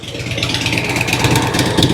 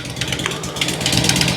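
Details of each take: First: 2006 Harley-Davidson Road King Twin Cam after cam chain tensioner and inner cam bearing replacement, oil change and new battery, idling at 13.9 V: steady, even lope with no lifter, pushrod or valve tick; slight front vibration, maybe a motor mount. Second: 2006 Harley-Davidson Road King Twin Cam at idle, just after cam chain tensioner and inner cam bearing replacement. Flat, sharp puffing heard at the front and rear exhaust, not lifter, pushrod or valve tick. Owner suspects an exhaust leak from the flat exhaust gaskets used.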